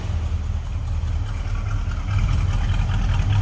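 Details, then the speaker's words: 1967 Dodge Coronet R/T with 440 V8 and automatic, warmed up a little, heard from the rear at the exhaust: deep, even low rumble with steady lope, no tapping or rattles; normal healthy idle. "Listen to that 440. Nice deep rumble to it."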